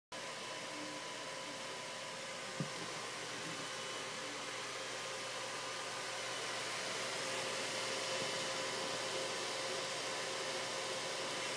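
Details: Dell XPS 630 PC at power-on: a loud, steady fan rush never drops back to a quiet idle, and the machine doesn't load Windows as it normally would. Fan runs at full speed with no boot; cause unknown.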